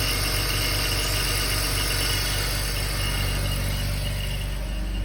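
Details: 2004 BMW X3 3.0i E83, 129,000 km, cold idle: about 12 s after start, a fast chirp or ringing of roughly four per second. It is gone with slight throttle or when warm; the owner wonders about the timing chain, an accessory, the AC compressor or the water pump.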